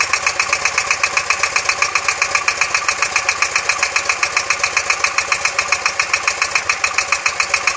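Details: BMW R100S boxer engine, about 500 km since rebuild, heads retorqued and rockers adjusted; fast steady ticking knock about four beats a second at idle, left side when cold, gone when warm; cause not found.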